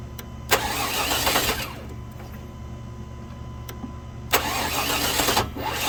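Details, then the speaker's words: 2000 Chevy Tahoe Limited Vortec 350 with center port injection, sat under snow: cranks twice with a sharp jolt but won't start, engine hitting a few times when the key is released; distributor cap suspected and being replaced. "it's doing something just really bizarre you turn the key off or whenever you release the starter the motor it it hits a couple of times"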